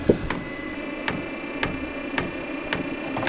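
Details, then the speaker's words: 5KW Chinese diesel air parking heater in a shed at about 25F outdoors, powered by a 12V lead acid battery, first startup: sharp, even ticks about twice a second over a quiet hum as the dosing pump self-primes after a minute; normal. "after it minute the diesel pump starting to self prime I did not press any additional one so far"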